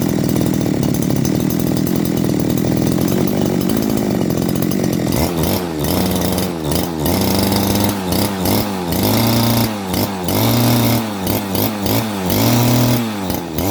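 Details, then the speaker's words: 411 two-stroke brush cutter after a carburetor clean and a new reed plate: a steady idle, then quick throttle blips that drop straight back without surging; it idles smoothly and quietly. "เราเปลี่ยนแป้นหลีดเข้าไปก็สตาร์ทเครื่องเดินเบานิ่งเงียบครับเรียบร้อยส่งงานได้แล้วครับ"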